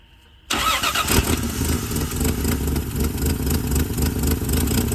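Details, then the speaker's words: 1978 Plymouth Volare wagon revived after four years in a junkyard: catches after brief crank, runs fast, light and even like a sewing machine, then dies with no gas in it; stalling from fuel starvation. "what's wrong with it gas it ain't got no gas in it take the fuel line off and just shove it down in that"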